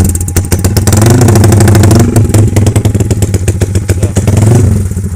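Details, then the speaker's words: Yamaha Y15 upgraded to 70mm with full Tobaki parts, on a temporary ECU with throttle held slightly open since the TPS screw can't raise idle, before dyno; loud uneven low burble, noisy because fuel is slightly rich at the bottom end. "Kita dengar sikit bunyi dia macam mana. Dia agak bising sebab minyak agak lebih sikit lah belah bawah tu."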